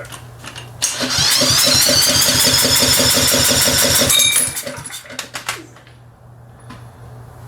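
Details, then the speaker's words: PowerBoss 5500 W generator, Briggs & Stratton 9.5 hp OHV, rebuilt from parts: fires and runs briefly at a quick steady beat, then dies; a wire was touching, likely grounding the ignition out. "is that touching something oh it's touching all right we gotta wrap it around something okay i think it was grounding itself out"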